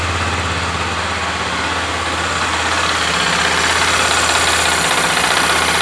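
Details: Honda XRE 300, 2018, 7,229 km: steady idle with fast even tapping about three per second, owner says like a rod knock but much quieter; engine knock at idle, cause undiagnosed.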